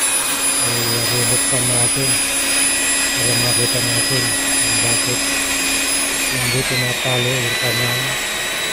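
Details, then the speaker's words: Hilti TE 800 AVR jackhammer that runs but won't drive the bit into concrete: a steady high motor whine with only a soft pulsing hum and no percussive blows. When opened, the connecting rod was found crushed. "Kaya pala hindi nag-hammer dahil yung kanyang nadurog na yung kanyang connecting rod."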